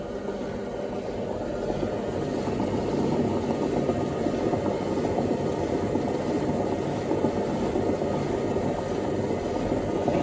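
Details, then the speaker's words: Indesit WIDXL126S washer-dryer found on the kerb, on high-speed spin: a constant low, rough rumble with no clean tone. The central drum bolt appears not to spin concentrically, suggesting worn drum bearings, possibly the spider. "i did a bit of a quick spin up there and it sounds bearingy i've got to say so this machine might just be for the high speed brick action"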